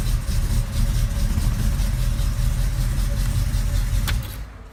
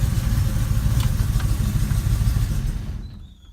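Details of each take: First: Engine that kept running a few seconds after key-off because its electric cooling fan was wired without a relay, now with a relay added: steady low idle for four seconds, then a clean die-away at key-off with no run-on. Fixed. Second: Car engine keeps running a few seconds after the key is turned off: uneven low chugging that fades out; owner believes the electric cooling fan, wired without a relay, back-feeds the ignition and plans to add a relay.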